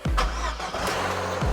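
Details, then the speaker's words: 2012 Vauxhall Corsa VXR after forged rebuild, with coil pack and rocker cover refitted on a new gasket: short crank, fires promptly and holds a smooth, even note; the earlier air-sucking noise is gone, normal start. "everything sounds better I can't hear the sucking noise that we were getting that's now no longer drawing air in so that's running way better"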